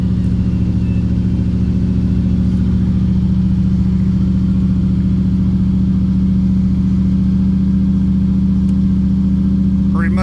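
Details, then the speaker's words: Car cold, just started on new choke cable: steady, even engine note held above normal idle with no dip; fast idle set a little high but choke works. "I will say, like I've said before, the fast idle is a little high, but it does work."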